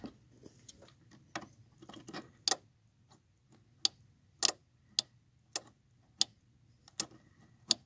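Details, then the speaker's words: 1997–98 Chevy Silverado pickup with no brake lights; the fault was a rear-harness white wire grounding and blowing the fuse. With the brake pedal held, the brake light relay clicks crisply about every half second, showing it engages properly. "That's not me making that noise, that's it engaging. So now, we know our relay's activating."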